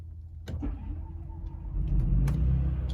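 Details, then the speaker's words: 2026 Forest River Sunseeker 2250SLE motorhome's small gas generator, started after holding stop/prime. A few starter clicks, then a low rumble that catches quickly and settles into a steady run; normal start. "And you hear it does fire right on up."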